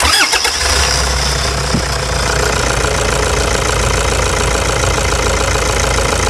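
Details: 2009 Toyota Hilux diesel after its stuck injector was replaced. Cranks, fires within a second and settles into an even, steady idle with no knock or miss: normal idle.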